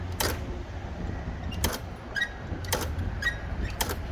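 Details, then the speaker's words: Overhead Door RSX ¾HP single-phase 120VAC commercial door operator motor with brake, fitted with an undersized replacement run capacitor after the original blew: low steady hum with sharp clicks about once a second as the motor struggles and fails to start. "Okay, one more time because the last capacitor I grabbed was too small and wasn't paying attention."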